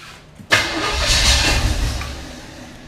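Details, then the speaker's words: 1980 Camaro 2nd gen, Chevy 5.7 (350) small-block V8, first start: cranks, bursts into life, runs roughly a second or two, then dies. Hard start, brief run; distributor timing set as far advanced as it would go. "well it cranks a little bit hold on and again I guess a little spin still why is it so far"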